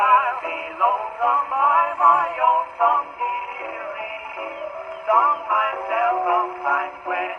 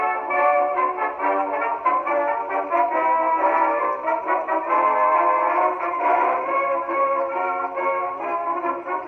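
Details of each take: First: 1919 Victor Victrola VV-IV after an overhaul with a rebuilt governor, mainspring and Exhibition reproducer, playing a worn Banner record: thin, boxy male vocal that sounds harsh and smeared through the midrange; the distortion comes from the worn record. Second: 1919 Victor Victrola VV-IV after overhaul (new governor assembly, main spring and spring drum, rebuilt Exhibition reproducer): a brass band record plays clear at steady speed with no wavering pitch, rumble or scratchiness. Normal playback.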